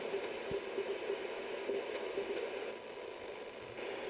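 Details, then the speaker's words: HamGeek 6699 CB/ham transceiver on 15 m (21 MHz band) via an UltraBeam antenna aimed at North America: constant hiss and crackle with no clear signal, noise floor higher than the owner normally hears; cause unconfirmed. "Um, yeah, there's a bit of noise, but this is uh not what what what I have here normally."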